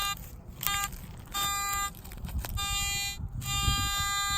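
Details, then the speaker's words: Garrett AT MAX metal detector giving steady high buzzing pinpoint tones in on-off bursts over outdoor noise while pinpointing a target that reads about 80-81 on the screen; normal pinpoint signal. "Hold on a second, though. I need to pinpoint it really quick, okay?"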